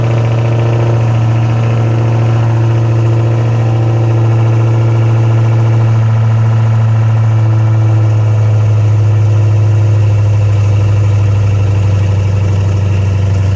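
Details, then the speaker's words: Dodge Challenger Hellcat V8 after spark plug replacement: a smooth, steady idle burble with no misfire, stumbles or knocks; not yet road tested. "sounds like it's running pretty good you can't drive it because it's missing a wheel but once the customer puts the wheel back on it's gonna have to go driving and see don't seem like it's misfiring or anything like that so we're good"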